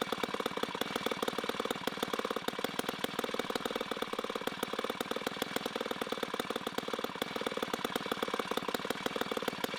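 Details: 1960s Homelite C-51/XL-12 vintage two-stroke chainsaw, revived, started with choke: fast, even firing at steady idle with a slightly blubbery, uneven edge. It is running a little rich and may be low on fuel.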